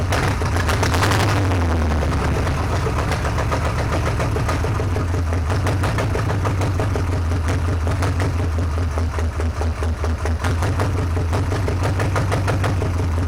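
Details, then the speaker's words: Junkyard 383 Mopar V8, first start in 30+ years after a new distributor, a little gas squirted in: fires after some cranking and holds a lumpy but continuous idle with a slight uneven lope; normal running. "and there it is i appreciate y'all watching there's a little more mopar music for you"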